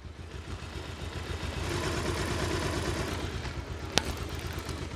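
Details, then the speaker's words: Old Bajaj Pulsar single-cylinder bike, bought second-hand, had a rattling hiss when hot; after balancer and valve adjustment, warm after a 10-20 km ride: even quick idle with no rattle or scraping; normal idle. "বুঝতে পারছেন আগে যে খ্যাস খ্যাস খ্যাস খ্যাস ঘ্যাস ঘ্যাসি সাউন্ডে ছিল ওটা এখন নাই।"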